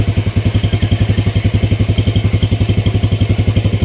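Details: Vega R motorcycle with DC ignition, idling after an ignition check with the CDI installed and spark plug fitted. Small single cylinder thumps at an even, steady idle of about 220 beats a minute, no misses or knocks, runs clean.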